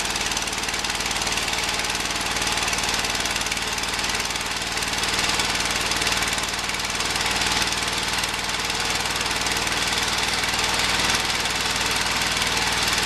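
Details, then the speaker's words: Early-1980s Ford LGT120 tractor, Kohler K301 12 hp single with new piston: chugs about four beats a second with an uneven, rattly, unsteady beat; runs rough, no longer well enough to cut grass. Owner suspects weak spark. "pretty good looking tractor use it to plow snow I mean it doesn't run well enough to cut grass with anymore"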